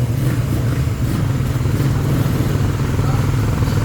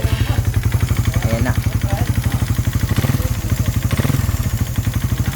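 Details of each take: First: Raider 150 Fi after second teardown and rebuild, freshly started for break-in: steady, even low idle with no knocking or clatter; now quiet and healthy, no smoke. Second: Raider 150 Fi, connecting rod replaced at a previous teardown, then run hard with an open pipe at New Year and now noisy again: rough idle with a heavy, fast, uneven clatter through every firing stroke, loudest low down; piston slap, before teardown.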